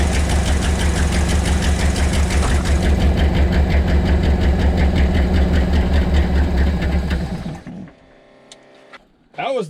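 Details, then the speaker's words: 1975 Ford F750 pipeline truck being revived, distributor timing just adjusted: lumpy steady idle about three pulses a second that sags and dies out; stumble after start, owner suspects fuel starvation from a bad fuel filter. "all right now it's acting like it's running out of fuel i need to change that fuel filter"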